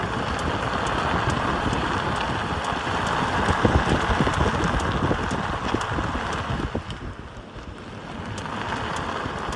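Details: Tesla Model 3 turning right: light, fairly regular clicks about three to four per second over wind and road hiss; clicking noise when turning, source not identified.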